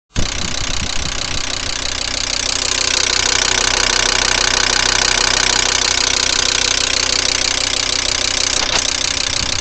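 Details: VW Crafter 2.5 TDI diesel, cold start on a frosty morning: steady sharp knocking about three per second over cold idle; owner asks what it could be, cause unknown.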